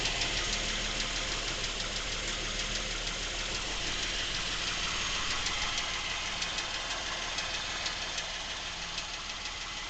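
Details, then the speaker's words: Nearly new Lincoln MKX, 7,000 miles, at idle: even ticking knock about three per second, seemingly from the rear of the engine, present since new and worsening; dealer could not hear it, cause unknown. "Now, the noises seem to be coming generally from this area of the motor, which is the back of the motor."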